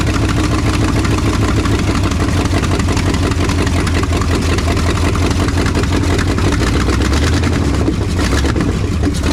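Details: 1968 Ford F250 "Ole Red", freshened 360 FE V8 running after install: a steady idle with quick, sharp clacking on every firing pulse, caused by exhaust leaking from headers left unbolted, not by valves.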